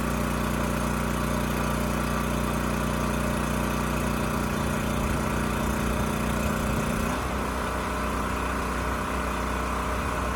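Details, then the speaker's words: Champion generator model 40026 after carburetor cleaning and a replacement fuel tank for a rusted one. Steady even drone; the note drops and roughens as load comes on, then holds smoothly, running normally under load. "no surprises this thing still starts runs sounds good and supports a load so i think we're done here"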